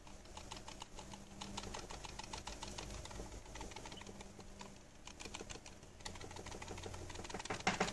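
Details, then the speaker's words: Logitech G303 mouse shaken; quick, uneven light plastic ticking caused by the optical lens under the sensor not being secured properly. "hey guys this video tutorial of how to fix the Logitech G 303 Mouse rattling problem listen to this noise"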